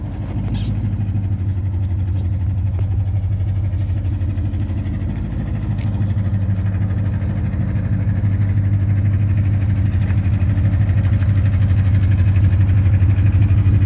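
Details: 2010 Ford Mustang GT V8 at idle: deep steady rumble with a dull knock about three times a second; owner has been told it could be rod knock or lifter tick, cause unconfirmed.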